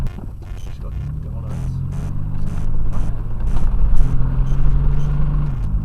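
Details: Chevy Blazer 4.3L V6 idling, a common 4.3L knock: low steady rumble with a faint, uneven tapping over it; valves, rockers and lifters to be checked, cause not yet pinned down.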